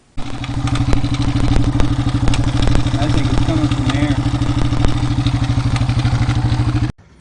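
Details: Yamaha TW200 after repair of a tapping knock in the lower case on the flywheel/stator side, caused by the starter gear sprag clutch whose retaining bolts had broken. The threads were re-tapped and it was reassembled. Steady, even single-cylinder idle thump, no knock; healthy.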